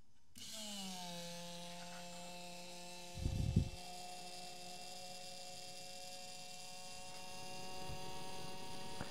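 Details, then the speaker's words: Electric fuel pump on a VW TDI CJAA (CP4 high-pressure pump) running with a steady, clean buzzy whine and no load change while priming a fuel canister after a filter change; air got into the pump and it lost its prime, running dry. "so I think once it got a bunch of air into that pump it just started uh it lost its prime"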